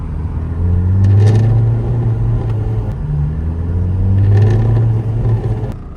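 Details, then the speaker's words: New-generation Saab 900 idling in driveway: low steady rumble with loose buzzing bursts swelling in and out every few seconds; dashboard rattle, also shakes at certain RPMs when accelerating; exact source not pinned down. "As you can see, when I was idling in the driveway, it was rattling pretty bad."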